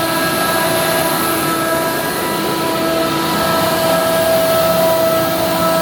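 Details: Ingersoll Rand SSR-EP60 60HP air-cooled rotary screw compressor, 98,485 run hours, set to modulate, tank at about 85 PSI, covers off: loud steady rushing drone with a constant high whine, even throughout; running normally.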